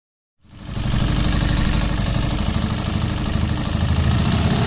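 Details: Keeway Superlight 125 motorcycle engine running with a rough, buzzy vibration and an irregular rattling pulse over idle: abnormal engine noise and vibration.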